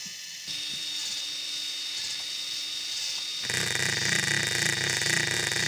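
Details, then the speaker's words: RC scale 'CV' joint at full steering angle: a fast buzz of about four pulses per second over the gear whir. It shows the same non-uniform rotation as the U-joint, so it is not a true constant-velocity joint, just a disguised U-joint. "so there you can see it makes the same non-uniform buzzing noise that the ujoint did"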